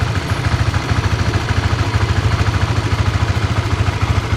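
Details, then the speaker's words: Honda CB150X, stock engine, 24,000 km over 2+ years of daily use and touring: even steady idle thump with no tick or knock (known clatter problem absent); engine still smooth and healthy. "halus guys. Jadi aku ngerasa kayaknya nggak tahu deh, alhamdulillah lah kalau awet kan, kita pakai awet aja."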